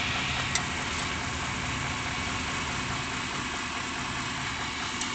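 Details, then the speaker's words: 1993 Chevy van 350 V8 with rebuilt transmission and new torque converter, idling a little fast in park or neutral: a dull uneven knock under the exhaust note with shaking at certain rpm; owner suspects a balance issue or torque converter, unconfirmed. "Okay, 93 Chevy van 350. Seems to be like a knocking noise in the engine. It's causing vibration."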